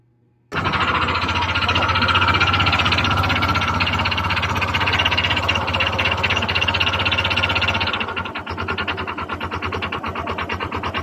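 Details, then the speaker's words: Honda Click 125 FI scooter engine before overhaul, idling with a hard, regular metallic knock about four per second; connecting rod knock inside the engine. "before ko perinig sa inyo, guys, ang final tunog ng kanyang makina ay siyempre parinig ko muna ang tunog ng makina ng kanyang makina na hindi pa natin siya in-overhaul. So ito yung tunog na, guys, pakinggan nyo."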